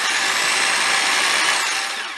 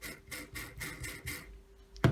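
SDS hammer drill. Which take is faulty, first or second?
second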